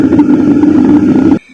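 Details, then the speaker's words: Fairly new home theatre tower with woofer and two tweeters: loud, rough, crackly fluttering hum that cuts out abruptly when switched off; caused by a damaged subwoofer amplifier IC, to be replaced. "क्योंकि दोस्तों इसमें जो इसका subwoofer की IC है इसकी IC की problem है क्योंकि यह सबवूफर की आईसी जो है यह डैमेज हो रही है इसके कारण से इसमें आवाज आ रही है"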